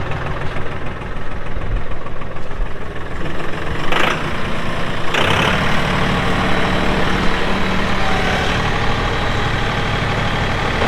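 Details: 2018 Massey Ferguson 2605H 4WD tractor with 911X loader, 310 hours: the small diesel clatters, revs briefly rise, then settle into an even, steady idle with no knocks. Normal start and idle.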